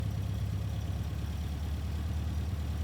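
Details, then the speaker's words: 1973 Volvo 1800 ES with newly rebuilt four-cylinder, new cam and solid lifters, no valve job (150 psi per cylinder), just started: steady even low idle with a smooth regular pulse, no knocks or ticking; the engine sounds healthy. "August 17th, 2024, and just started up the Volvo. We rebuilt the motor, put in a new cam and lifters, all the solid lifters in it."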